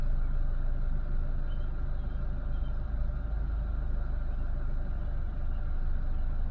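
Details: 2010 Renault Megane 1.6 petrol, 60,000 miles, after replacing the cylinder 4 fuel injector, spark plugs and one ignition coil to cure a misfire. Low, even idle rumble holds steady with no stumble or skipped beats.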